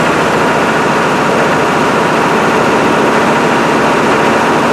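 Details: GM 6.5 diesel engine running after work on a high idle solenoid that had not been engaging; loud, steady roar held at raised revs without hunting or dropping off: high idle now working properly.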